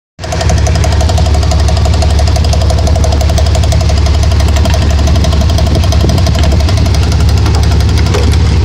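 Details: 1992 Dodge Dakota running: a steady, sharp knock about three per second over a deep rumble. The owner wonders whether the torque converter is the cause; unconfirmed.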